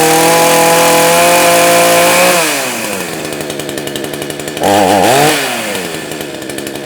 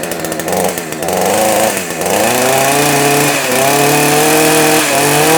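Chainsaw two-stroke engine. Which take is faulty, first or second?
first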